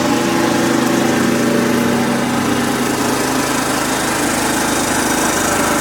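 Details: Kubota riding mower, sat years after dying with a horrible noise, now running fairly steadily with rough light ticking about three to four per second; owner calls it a horrible lifter tick and suspects a slightly bent valve.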